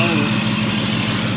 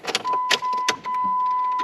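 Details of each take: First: Jeep bought bone stock that owner says rattles hard on cold start then runs fine, suspected rod bearing issue; at idle it sounds steady and even with a busy mechanical clatter on top but no rhythmic bottom-end knock, more noisy than rattling. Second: Jeep engine cold start: cranks, catches, then hard rattle until oil pressure builds, then runs fine; previously mis-timed with bent valves; owner suspects rod bearing issue with metal dust on crank sensor.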